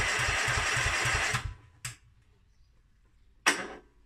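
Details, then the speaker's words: Mountfield SP536ES self-propelled mower, RM55 160cc engine, after service, new battery and drive belt: electric start, small engine runs with an even, steady beat, then shuts off cleanly. Normal running after electric start. "so she's running good that you can save her"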